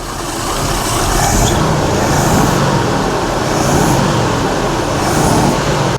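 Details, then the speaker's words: 1982 Jeep Scrambler, first start after fitting Motorcraft 2150 carburetor, fuel pressure 5, bowls primed; throttle may need adjustment. Even steady run rising smoothly after startup, no knocks or misfires; idling cleanly. "All right. Well, we're fired up. Might need a little adjustment to the throttle, but that's not too bad."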